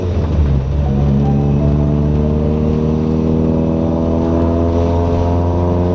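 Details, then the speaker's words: Toyota Corolla with 4.8 GE engine swap, after clutch master cylinder adjustable arm/screw set all the way back, test drive: steady even drone under load without flaring revs; clutch engages and releases properly. Earlier slipping suspected from track heat. "Alright, so you guys just saw the footage of me driving it after adjusting the screw all the way back, and it seems to be engaging and releasing at the proper point."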